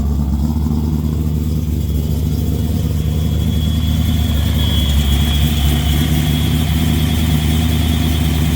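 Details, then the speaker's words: 5.0 V8-swapped Nissan S13 240SX, cold start after a dead battery: deep, steady V8 burble at idle with a strong low rumble and no knocks or ticks; the engine sounds healthy. "There we go. There we go. There we go. Nice little cold start for you."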